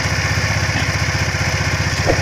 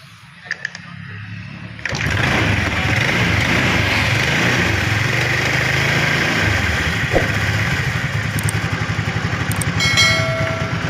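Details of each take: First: Honda Vario Techno carburetor scooter after replacing the worn front pulley roller bushing, 3 slider pieces and cleaning the clutch area: engine runs with an even, steady putter, the low-rpm CVT ticking gone. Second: Honda Vario Techno carburetted scooter starting and idling with a light, quick clicking from the CVT case at low revs, suspected to come from a loose or worn front pulley bushing.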